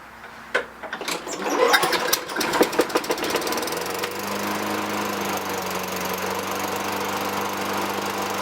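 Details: 2003 Toro Recycler 20016 with Tecumseh 6.5 engine, a trash find, on its first start after carb cleaning and clearing litter-like debris from the gas tank: a few pull-start rattles, then it catches and runs smooth and steady. Light smoke fades; sounds healthy.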